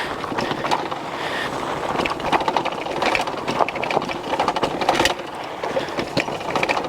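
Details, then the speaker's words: Puckipuppy Boxer all-terrain e-bike with a 750 W nominal motor, ridden on a rocky, gravelly desert trail: loose metallic banging and clatter with each bump. The kickstand is rattling, not the drivetrain. "banging around is the kickstand. Probably part of the reason why a lot of mountain bikes don't have them."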